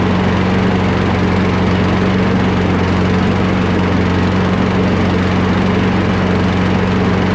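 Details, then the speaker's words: Free curbside Craftsman push mower, single-cylinder, after carburetor removal and full cleaning, fuel line refitted and air box reinstalled: steady, even drone with constant low hum, no misses or surging; normal running. "Let's put this under a load and see what it does. That sounds much better."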